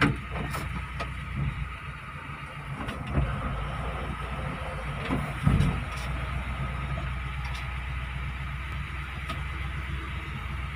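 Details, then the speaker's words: Test drive after clutch repair for hard, juddering take-off (worn flywheel or old pressure plate suspected): steady low rumble pulling away, no shudder or surging; clutch engages smoothly. "enak ya akhir-akhir enggak sudah halus Bro Sudah enak buat jalan ini"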